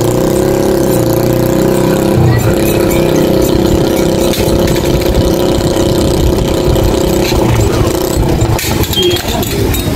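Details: Yamaha YTX single after cleaning its flooded carburetor: steady, even idle with a smooth unbroken note, no stumbling or hunting; sounds healthy.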